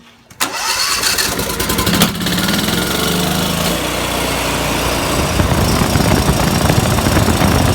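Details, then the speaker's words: Briggs & Stratton Vanguard twin with spark testers fitted: runs with an uneven, lumpy beat, one cylinder cutting out and back in as its spark flutters; bad ignition coil. "Spike's sounded fine to you but it's running on one cylinder and you saw that thing fluttering so the next point thing you're gonna want to do is disconnect the kill wires just to make sure that ain't the problem so we got a bad coil"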